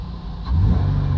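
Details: 2003 Ford Windstar 3.8L V6 after replacing a cracked ignition coil blamed for rain-related misfires (occasional cylinder 2 code): quiet idle, then a clean blip with no hesitation, where it used to stumble.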